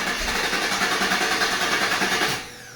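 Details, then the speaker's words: 2019 Camaro SS, 6.2 L LT1 V8, after stuck-injector repair: engine catches and runs with a steady even beat before cutting off; normal start and run after earlier repeated failed starts, ran perfect. "Oh, it ran perfect. It just took fucking forever to start up for some reason. Mm-hmm. But it ran good."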